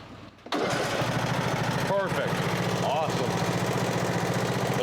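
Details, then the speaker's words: Briggs & Stratton engine on a Husqvarna riding mower, after a camshaft replacement for a failed decompressor: restarted, it catches almost immediately into an even putter. Before the repair it cranked as if the battery were dead. "before it was starting with well cranking like it had a dead battery"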